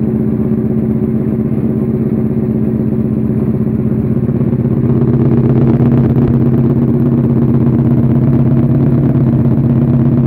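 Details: Suzuki SV650 V-twin project engine, self-built, first start-up after rebuild: steady, even idle with a smooth low thump and no knocks or ticks on top; normal idle.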